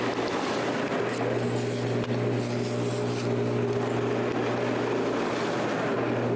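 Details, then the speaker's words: Personal hot tub after a 2-inch PVC flex water line leak was sealed, rebuilt and run again: jets at full force give a steady even hum with constant low tone and rushing water, no rattle or surging; pump operating normally after repair. "As you can hear in the background over there, the hot tub is up and running. Got the jets running full force right now."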